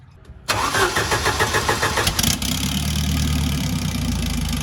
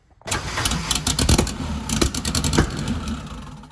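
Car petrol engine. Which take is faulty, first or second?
second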